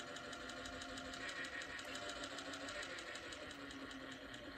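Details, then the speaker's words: Ford Model A generator bench-tested as a motor: a quiet, smooth whir whose pitch rises with speed, and speed changes as the third brush is moved. It runs healthy. "so there's my ground see what she does oh nice and quiet"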